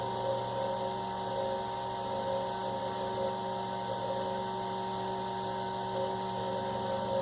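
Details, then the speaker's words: 1960s Eskimo desk fan model 081005, 50+ years old, running with spacers added: steady hum with faint fluttering rattle; shaft slop lets blades shuttle in and out, more spacers planned to cure chatter. "So I think what I am going to do, we'll take this apart again, and we'll add a couple more spacers to it. See if we can't get rid of that chatter."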